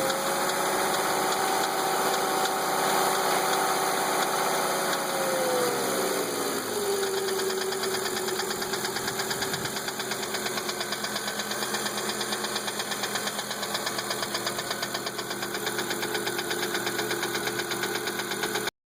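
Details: 1997 Volvo 850 GLT, 2.4L inline-five low-pressure turbo, idling with a steady knock of about three a second that persists as idle speed settles lower; cause unknown to the owner.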